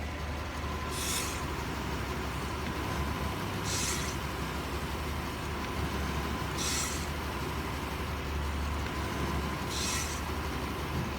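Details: Idling engine with a failing brake power booster: a sharp airy hiss about every three seconds as the brake is pressed, a large vacuum leak causing rough idle when braking, check engine light and risk of losing brake assist.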